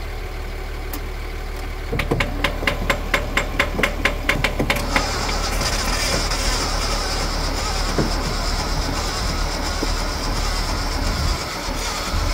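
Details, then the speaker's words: 1978 Datsun 280Z, start attempt after 30 years with an extra power source; slow, uneven cranking about two compression beats a second; starter suspected weak after seeming frozen, not confirmed. "Our starter might be a little weak too here. >> I think so. Can you try cranking it a little bit?"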